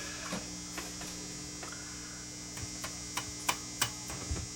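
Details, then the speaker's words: Hughes & Kettner TubeMeister 18 tube guitar amp going into protect mode (five blinks): tapping a brand-new replacement power tube gives sharp ringing clanks over steady mains hum; that tube is badly microphonic and shot, swapped for a quieter well-matched one. "but you hear that tube that tube is shot so I'm going to put this other one back in uh at least this one doesn't make noise and it actually had pretty good uh pretty good matching"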